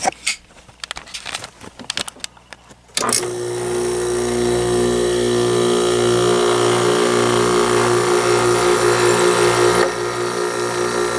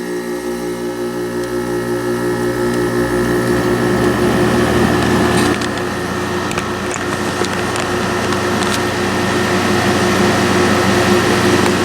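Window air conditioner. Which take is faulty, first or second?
first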